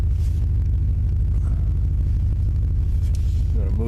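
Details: 1996 Chevrolet Tahoe, fuel-injected, cold start on a chilly day: the engine settles straight into a steady, even low idle pulse with no stumbling or misfire; a normal, healthy cold start.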